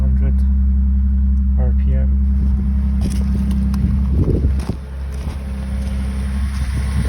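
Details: 1985 Toyota Celica Supra straight six, cold start after sitting a few weeks, timing belt changed at 115,000; steady even low hum, no misses or knocks, normal cold idle.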